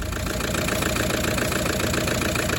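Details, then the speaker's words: Toyota 1KD-FTV diesel, 447,000 km, radiator blocked, previously running smoothly: idles with uneven, lumpy clatter and pulsing low thump instead of smooth, flat beat; cracked piston with a hole. "So, we've got a a diesel engine, a 1KD FTV that would normally be running smooth and flat. And depends how bad the hole in your piston"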